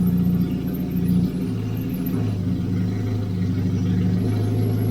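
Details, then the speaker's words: 1989 Austin Mini Designer, 998cc A-series engine, after about three years unused, fuel poured down carburettor: steady low idle dips once then settles, never quite smooth; slight stumble, didn't like revs. "stumbling a little see if I can give it a bit of [Music] revs she didn't like that"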